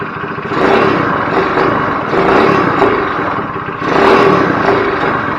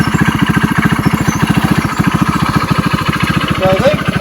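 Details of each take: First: GY6 go-kart engine after carburetor reassembly, needing adjustment: small revs surge up, but at wide open throttle it stammers and sags instead of pulling clean; owner suspects it's running rich; stumble at wide open throttle. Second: GY6 go-kart four-stroke on premium fuel after a rebuild, which used to take about an hour to start. Quick, even firing pulses at a steady idle with no misses, knocks or rattles; running healthy.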